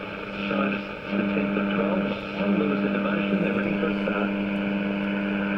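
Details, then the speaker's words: Philips 165A five-valve radio, just restored with new knobs, running indoors on an aerial with lights on: steady low hum around 200 cycles with overtones under the radio sound; mains hum on all the radios here but not in Melbourne, cause unknown. "really don't know what that horrible hum is it's on all the radios and they don't do it down in Melbourne"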